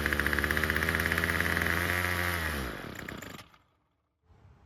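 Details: Bolens string trimmer, two-stroke, won't start on its own; fuel screen suspected clogged and fuel lines brittle: buzzy note that drops away and cuts out within seconds, running only on fuel poured into the carburettor.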